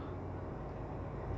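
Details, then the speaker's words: LG WD13BVC2S6C washer-dryer with a cloth at the drain hose opening, drum spinning up through 700–750 rpm: soft even low rumble, no pump whine or rattle. Drain pump nearly silent, spin fairly quiet. "Vemos que no hace casi ruido, casi ni se siente el ruido. El centrifugado también está bastante bajo."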